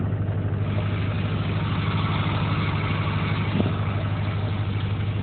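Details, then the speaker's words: Duramax diesel with ZF6 manual transmission idling after clutch master cylinder modification, clutch pedal pushed by hand about 45 degrees: loose chattering clutch rattle over the low engine drone; before the mod it did not rattle. "let me get it fired up here and here the clutch I got about 45 degrees out [Music] and you already hear the clutch rattle here"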